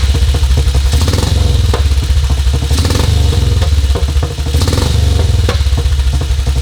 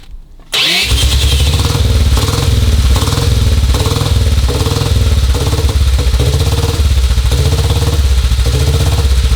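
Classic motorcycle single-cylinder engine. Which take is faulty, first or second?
second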